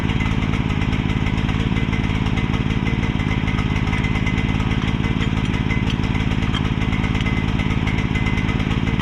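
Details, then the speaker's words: Mini excavator's small single-cylinder engine fitted with a pull start: steady, quick putter with even beats and no misses. Normal running. "So, as y'all saw, it runs."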